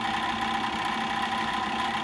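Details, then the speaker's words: 2010 Bryant gas furnace inducer motor: steady hum with a fast, faint, repeating click like a card in bicycle spokes, echoing through the vents and exhaust pipe; seems to come from the motor itself, owner suspects ball bearings. "in the motor it's hard to say if that sounds coming from the motor or the fan assembly itself almost sounds like it's coming from the motor yeah it sounds like it's coming from the actual motor maybe the ball bearings or something like that"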